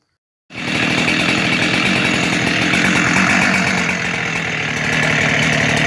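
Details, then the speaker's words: Junk-pile Husqvarna 372-type chainsaw (Farmertec cases, OEM X-Torq 372 crank) started after reassembly with the air filter back on. Ignition coil spark noted as very weak. Saw fires and holds a steady, buzzy high rev without cutting out. Normal running, fixed for now. "So it's running again, so that seemed to fix the problem for now."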